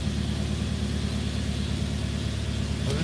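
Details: Mercedes W123 (S123 estate) idling just after first start in nearly three years, low fuel; steady low idle with even pulse, faint street noise, no knocks or misses; normal idle.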